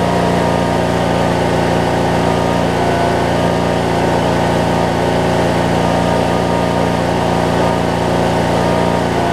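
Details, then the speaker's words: 2007 Craftsman LT2000 riding mower, Briggs and Stratton single, after sitting and backfiring on start: steady, even putter at idle about three beats a second, no misses or pops; idling healthy. "Sounds pretty darn good, don't it?"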